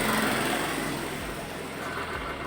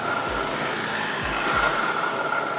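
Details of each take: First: 2017 Honda Scoopy CVT after bearing replacement (was grinding when wheel spun): light, even high-pitched buzz fading steadily with no scraping or grinding; belt drive now runs smoothly, normal. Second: 2017 Honda Scoopy, CVT block opened, rear wheel turned by hand: coarse rough grinding with faint steady squeal and rhythmic thump about three per second; noise traced not to final drive but to worn rear CVT pulley bearing.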